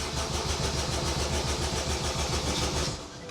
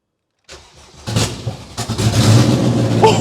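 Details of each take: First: Honda Jazz with a swapped-in K20A VTEC engine, brake cleaner sprayed into the intake: steady starter cranking never catches; there is no fuel pressure, the pump isn't priming and there is no spark, traced to a disconnected earth wire. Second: Honda Jazz with a swapped-in Civic EP3 Type R K20A 200 hp VTEC engine, first start after reconnecting the earth wire: brief starter whirr, then it catches cleanly and settles into a steady, even idle with a light blip; it works perfectly.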